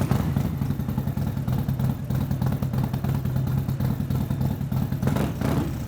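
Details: Harley-Davidson Street Glide with stage 3 kit and nitro, started up: deep, loping V-twin idle with lumpy uneven beat and slight blip near the end; the modified bike runs normally.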